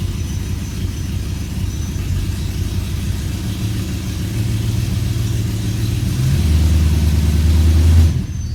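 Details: E92 BMW M3 V8 throwing codes for multiple misfires and popping badly on cold start; deep idle with an uneven, lumpy beat and faint stumbles, rough idle with misfires, cause not yet found.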